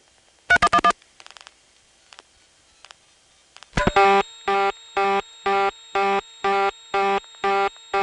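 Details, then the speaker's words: Senderized step-by-step exchange, Prince William County, Virginia, call routed via Manassas to Nokesville office: dial pulses and clicks, then fast on-off tone about twice a second; reorder tone. "here's a call to the reorder tone in Knoxville"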